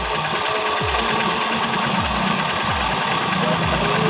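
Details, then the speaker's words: Motorcycle idling after the cam chain tensioner was replaced with a Click 125i tensioner, which fixed the jumping ticking noise: even, quiet hum with no top-end ticking or chatter; very quiet. "Yan napakatahimik."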